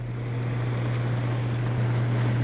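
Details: Old Broan 50 CFM bathroom exhaust fan run on the bench, louder than a newer unit with the same impeller: steady low hum, no knocks or rattles; motor may be wearing out and running slow.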